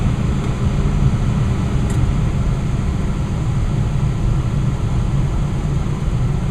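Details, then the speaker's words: Westinghouse two-stage gas furnace with variable-speed blower, burner just shut off: steady, even low hum from the blower running on and slowing to a lower speed, with no rubbing, ticking or wobble. "now the furnace just turned off and now the fan is just running and the fence will eventually start to go in its slower sorry go into a slower speed you can hear it smooth"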